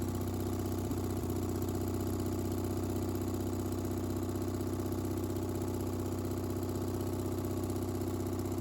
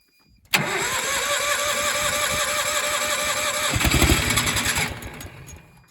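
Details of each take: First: Miller AEAD 200LE gasoline welder/generator, sitting about 15 years, after a carb clean and fresh gas; starts right off and runs with a steady, even single-cylinder thrum at constant speed, no misses or knocks, still producing power: normal running. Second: Miller AEAD 200LE gasoline welder/generator, first start after about 15 years sitting, on starting fluid, oil thin and smelling of gas: catches, runs rough a few seconds, dies; ignition and spark confirmed, carburetor not supplying fuel.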